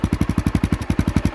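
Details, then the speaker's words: 2002 Honda XR650L single, under 3,000 miles, at idle: even, crisp thumping about eight beats a second, steady and not very loud; running healthy. "The pipe sounds great. I'm pretty pleased with the tone of it."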